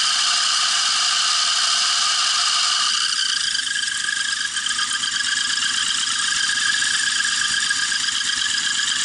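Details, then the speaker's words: Zhiguli with 1.8 engine, sat a year, knocking after last drive: light regular tapping about four per second over the running engine; the suspected engine knock was actually a loose bolt. "неудачно начался. Думал, это стук мотора, а это оказался вот он. Болт."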